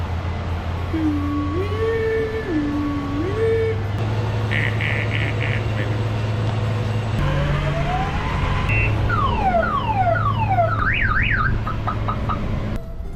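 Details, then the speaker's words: Car in for a no-start complaint: loud alarm cycling through warbling two-tone wails, rising sweeps and rapid chirps over a low hum, sounding like a 90s alarm; car alarm going off. "Does that thing have an alarm? Sounds like it. Sounds like a 90s alarm."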